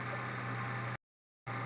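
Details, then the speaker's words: Maruti Suzuki Omni MB-5 after fixing belt-like squeak heard at start: steady low idle hum with even note, no squeak or chirp even with clutch pedal pressed and released; normal idle. "അപ്പോൾ നമ്മളിപ്പോ start ചെയ്തപ്പോൾ വേറെ സൗണ്ടോ കാര്യങ്ങളോ ഒന്നും ഇല്ല."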